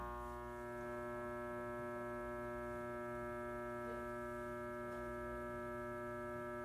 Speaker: I'm sitting in the pain management office, and I don't know if you can hear the noise. It's a loud buzzing noise that's coming from the lights.